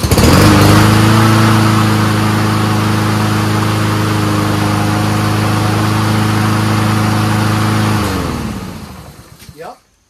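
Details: Troy-Bilt 21-inch front self-propelled mower with Honda engine, test run with the air cleaner fitted: even, steady drone at constant speed for about eight seconds, then a smooth wind-down at shutoff; runs clean, normal.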